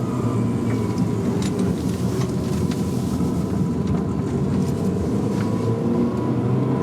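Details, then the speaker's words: First-gen R50 MINI Cooper with dying CVT automatic stuck in first ratio, doing 30 mph at 5,500 rpm: a steady high transmission whine rides over busy engine drone and road rumble while cruising; to be replaced by a 6-speed manual swap. "But yeah, this is what it's like. You can hear the whine from the dying transmission."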